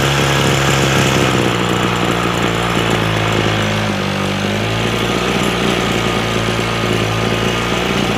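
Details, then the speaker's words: Echo SRM-225 two-stroke trimmer after a carburettor rebuild, choke off: a steady, even buzz drops smoothly to a lower pitch as the idle is turned down. It runs clean with no surging or stalling. "She sounds pretty good now."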